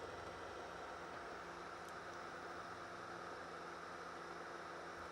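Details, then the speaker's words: Vintage console/computer being repaired, possibly while installing: constant loud airy rush with a faint steady tone and no change in speed, cooling fan ripping at max RPM; owner wonders if it could be overheating, cause unconfirmed. "This thing is trying so hard. It is fucking scooting. Do you hear this thing? Let me get this one off it. This thing's fan is max RPM, just ripping"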